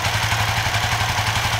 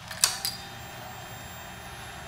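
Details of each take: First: Suzuki FU FI 150 / GSX 150 with tip-over sensor bypassed by a 4K resistor reading 0.8 V (temporary fix): even steady single-cylinder putter at idle, no misses or stumbles; normal idle. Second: Suzuki FU FI 150 / GSX 150 fuel-injected motorcycle with the tip-over (lean angle) sensor unplugged: two bursts of harsh starter cranking about a second each, engine never catches; crank no start.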